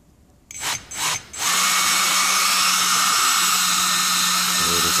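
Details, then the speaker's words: Dr. Madthrust electric ducted fan after balancing by repositioning the spinner: quick spool-up then steady high even whoosh, no wobble or beat, no vibration on or off the table; balanced, running smooth. "so i'll run it up just so you can you can hear what it sounds like and i'll move it away from the table and then back on the table so you can see that there's no difference in sound so there's no vibration so let's run it"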